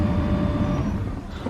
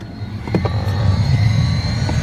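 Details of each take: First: 2005–2014 Mustang GT after fitting a new blower motor, key on: only a steady airy rush and smooth fan hum, with the previous noise gone; the blower is running cleanly. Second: 2005–2014 Mustang GT HVAC blower motor before replacement: a steady loud whirring roar with a faint whine, annoying while driving; the noisy, likely failing blower motor is being replaced.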